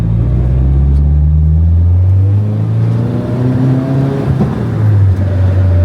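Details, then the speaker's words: Nissan 240SX SR20DET transmission: engine pulls through first and second with a steady rising gear whine that fades once shifted into third; gears engage without scratches, clutch a little stiffer, cause unconfirmed. "yeah see after second now I'm in third it's quiet so I'm going try to stay out of second it"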